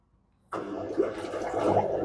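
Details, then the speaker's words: Samsung washing machine after replacing worn motor carbon brushes, direct spin cycle started: after a silent start a steady watery hum rises and runs evenly; drain pump working normally. "You can hear the noise pump already working."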